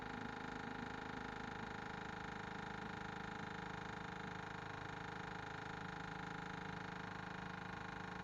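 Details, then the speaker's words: 1979 Ford F800 dump truck with a broken 429 and a gummed-up carb, engine off: steady fast ticking of about two per second from the electric fuel pump priming with gasoline, normal. "all right that clicking you hearing is the fuel pump there's gasoline in this not too short mix"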